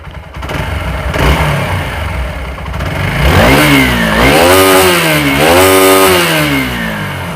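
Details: TVS Apache RTR 4V after piston ring, camshaft, timing chain and rocker arm install: clean idle rising and falling smoothly through several throttle blips, no knocks or ticking; normal healthy running.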